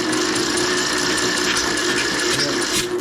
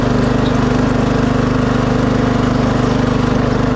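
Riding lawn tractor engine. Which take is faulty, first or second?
first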